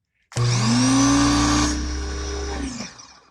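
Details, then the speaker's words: Old Ryobi 1600 electric pressure washer starting while drawing dollar-store cleaner through its soap feature from a water bottle: motor spins up quickly into a steady even hum, then winds down smoothly; starts and runs normally, sucking soap right in. "Sucked it right in. Okay, let's go look at the other end of the hose and see what kind of soap we're getting out of here."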